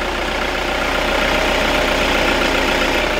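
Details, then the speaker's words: Toyota Kijang Innova 2KD diesel on biosolar (biodiesel), idling with the hood open: even, steady clatter with a smooth regular beat and no knocks or misses; normal idle, vibration still standard, no leaks or seepage. "Ini mesin mobil normal ya, tidak ada kendala, tidak ada rembes. Getarannya untuk menggunakan biosolar ya seperti ini, masih standar ya teman-teman, masih standar."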